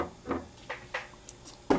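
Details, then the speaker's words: Marco CP 690E eye-chart projector (earlier hummed and was unresponsive): sharp mechanical clicks and soft clunks, about five in two seconds, as it steps through acuity charts; normal operating sounds. "those are the usual sounds and then it uh projects in response to each of the acuity inside the projector"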